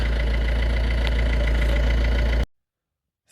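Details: Ford Fiesta 1.4 TDCi after turbo replacement (old turbo had shaft play, oily intake, white smoke): steady, even diesel clatter at idle with no misses or knocks, then shutoff. Healthy.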